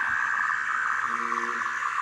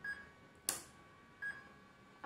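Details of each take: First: RC car electronic speed controller powered on with an electric motor connected. A short series of clean, steady electronic tones sounds as it probes and tries to recognise the motor. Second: Second of two RC car speed controllers, both wired to one battery through a fork, switched on. A short series of clean high beeps among handling clicks: its normal power-on melody, and both units are working.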